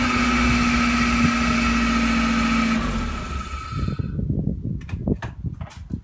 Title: Whirring / grinding noise MX-5